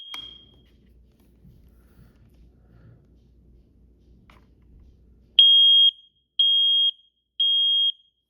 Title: Smoke and carbon monoxide alarm beep tests SPECIAL REQUEST